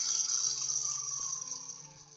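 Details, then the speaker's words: FTX Outback RC car small motor and gearbox on bench supply after oiling bearings, run near maximum then slowed: high steady electric whine with light gear chatter fading as it slows; normal, slightly noisy gearbox. "noisy as I say if I slow right down oh yeah one and a half volts and she's spinning away quite happening a bit yeah it's pretty good"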